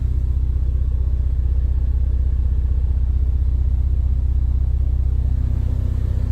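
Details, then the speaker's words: 2018 Ford Focus ST after swapping the Mountune rear motor mount for a CP-E Stage 2, idling with air conditioning on: low steady drone with a faint regular throb, noticeably more cabin vibration than the Mountune mount but not bad. "but it's not rattle trap bombs i mean i you feel it i mean you feel it it is it is uh i mean i yeah it is significantly more than the mountain but it's not bad"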